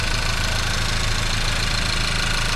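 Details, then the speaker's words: Audi A5 1.8 TFSI first start after full engine rebuild for rough running, oil burning, leaks and worn timing, started without throttle: dense, steady, smooth idle with no knocks or misses. "Słuchajcie jest to pierwsze odpalenie tego silnika po remoncie palimy bez gazu"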